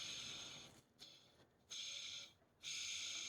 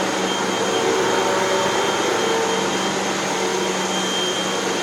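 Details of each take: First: Hoover WindTunnel Max brushroll spun by hand, bearings with no grease left: harsh, dry scraping hiss in bursts, metal-to-metal contact. Dry brushroll bearings, totally gone, need replacing. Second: Hoover WindTunnel 2 Whole House Elite after two new brushroll bearings, a new belt, heavy cleaning and three patched holes in the nozzle feed tube: steady, even motor whine with smooth airflow and no rattles or dips; running healthy.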